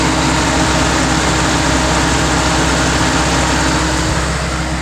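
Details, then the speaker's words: Land Rover with fans previously not turning on, after a wiring repair instead of module replacement: loud steady rush of both cooling fans at high speed with A/C on, no rattle or scrape, working properly. "turn it on again and there was the fans on high speed"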